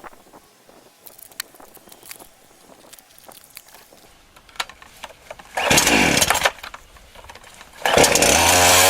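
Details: Titan TTL759CHN petrol chainsaw, heavily used, freshly refuelled and cutting: quiet stretch then short harsh revving bursts that fail to build cleanly, bogging at high revs; owner attributes it to an incorrect carburettor low setting.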